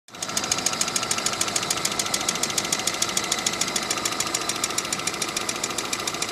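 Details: Sharp metallic knock about three times a second, evenly spaced over the idle, loud and clear, from inside engine 417.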